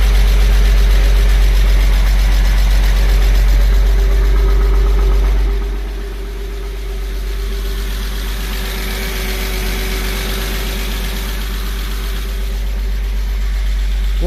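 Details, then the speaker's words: Porsche 986 Boxster first startup after IMS bearing, starter, oil separator, intake cleaning and oil cooler work: smooth, even flat-six idle with a steady low hum; the earlier exhaust rattle and AC compressor noise are gone. "There's no more noise from the exhaust. There's no more noise, rattle noise from the exhaust."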